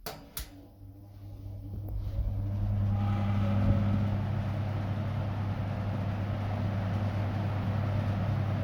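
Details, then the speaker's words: Restored 1960s Zero 20-inch two-speed push-button box fan with metal blades, on high: click then deep steady drone, no knocking or rattling as before restoration; runs smooth and healthy. "Love the deep droning sound of these metal blades."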